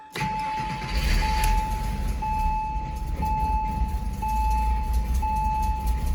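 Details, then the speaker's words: Porsche Boxster 986 after fuel filter replacement, started once the lines primed: steady low rumble settling into even warm-up idle, dash chime pinging about once a second; runs fine, though a check engine light appeared. "there she is cool and we'll let her warm up"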